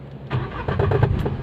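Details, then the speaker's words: Renault Kwid: at start, a starter whirr, then a low rumble with a few uneven clunks as the engine catches; abnormal noise at every start, cause not confirmed. "वो काफी आवाज ए रही है की किस चीज का आवाज है और वो देखते हैं हर बार गाड़ी स्टार्ट करेंगे तो ए जाएगा"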